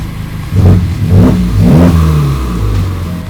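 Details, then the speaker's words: Totaled Honda Civic Type R being revived, engine running at temperature: short, sharp revs rise and fall cleanly with a faint whistle building on each blip as the turbo spools freely; healthy turbo. "Well, if I maybe rev it up a bit. You can hear the turbo spinning. Sounds good."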